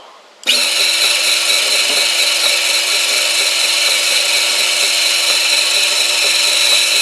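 Welder fires up to a steady motor whine with fan hum, holding even pitch as wire feeds smoothly; the feed mechanism sounds healthy.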